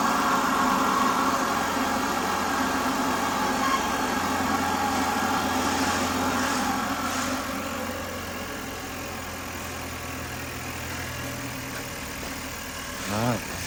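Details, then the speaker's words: 2019 Chevy Cruze RS, start-up after P0201 diagnosis and fuel injector replacement: catches and settles into an even, steady idle with no misfire stumble or ticking. Runs smooth on all cylinders; aftermarket cold air intake sounded funky. "right, sounds good and smooth. That cold air intake sounded pretty funky."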